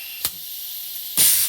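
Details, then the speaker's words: Old, high-use Checkpoint 1250 chemical injection pump after rebuild, run on air/gas: sharp hissing exhaust bursts with faint steady leak hiss between; some gas slipping past it. "Now you hear there's a little bit of gas getting by it. This thing's old, it's got some miles on it."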